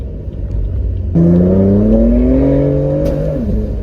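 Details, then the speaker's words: BMW M4 at 30,000 miles on a test drive after new spark plugs were fitted and the check engine light cleared. The engine note climbs through a hard pull, then a single sharp pop breaks in and the pitch stumbles; cause unknown. "Whoa, it just made a really weird sound. I didn't like that. I did not like that sound that it just made. It made like a pop sound."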